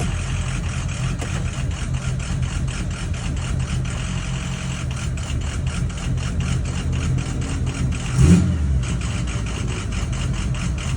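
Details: 6.0 diesel after 30 miles running REVX additive: a lumpy, uneven idle with a wavering beat instead of a steady clatter. It is still idling rough, cause undetermined.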